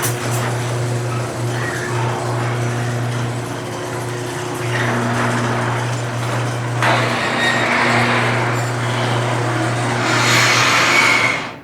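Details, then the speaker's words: Garage door opener hums while short high squeals break through as the door travels; screeching blamed on dry joints, ball bearings and coils needing lubricant, fixed by spraying garage door lube. "So really, the reason that all that screeching is going on is simply because your garage door needs some lubricant."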